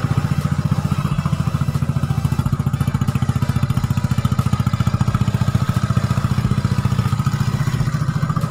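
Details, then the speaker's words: Yamaha Nouvo carbureted scooter, stock pilot and main jets, planned for bore-up and CVT upgrade: steady even idle at about 3.5 pulses a second with only a faint tappet tick after valve clearance adjustment; engine sounds healthy. "Nah suaranya Lur ini setelan klepnya habis nggak begitu kencang karena habis dipecok-pecek atau habis di endrayani"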